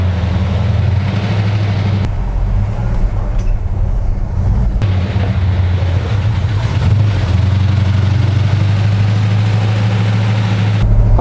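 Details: Fully restored 1970 Dodge Challenger R/T V8 idling while warming up before a drive: deep, even idle with a steady low rumble and no knocks or misses; sounds healthy.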